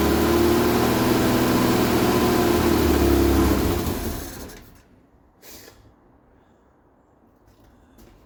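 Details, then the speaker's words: Vauxhall Viva HC barn find runs with steady even beat about four seconds on fuel poured into the carb, then dies; not enough fuel reaching carb, owner suspects fuel filter; cause unconfirmed. "right so what is the problem she fire is lovely fire and systems champion I poured some fuel down her neck and she ran off that fuel"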